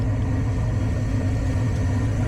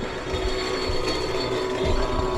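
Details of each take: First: Furnace draft inducer motor running after replacement of old inducer that sounded like a diesel on a no-heat call: steady, even low hum with no rattle, scrape or wobble; pressure switch then closes and burner lights. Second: Furnace on a no-heat call: draft inducer giving a rough diesel-like rumble over a steady hum; inducer wheel damaged, motor to be replaced. Finding: failing draft inducer motor.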